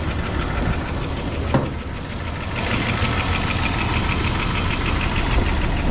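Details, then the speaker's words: 1988 Dodge Power Ram sat 23 years, revived with oil change, new hoses, belts, thermostat housing and coil wiring fix, stock exhaust with catalytic converter removed: light rapid lifter ticking over a rough idle, not smoking; owner expects the lifters to quiet down. "lifter is still a little noisy but I mean it'll probably come back around"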